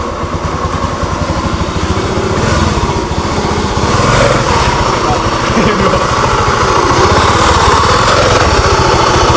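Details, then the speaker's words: Honda Beat FI scooter that owner says bucks and jumps at start-off: coarse rapid rumble, about four pulses a second, growing louder and harsher and lurching as throttle opens; worn crankshaft bearing suspected. "oke teman-teman memang benar di sini Suaranya sangat kasar ngogorongsong dan saat gas ditarik ini loncot seperti kuda"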